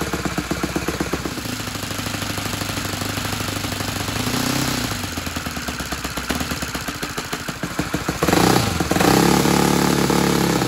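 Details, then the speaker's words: Saito 100 single-cylinder four-stroke nitro glow engine after valve timing reset: uneven, soft blubbery popping that doesn't clean up as revs rise; rich mixture, low-end needle valve closed one turn to lean out for a better idle. "sounds rich so I'm going to close this one turn here I'm adjusting the low end needle valve I'm going to go ahead and turn that in and so that'll lean that out for the better idle"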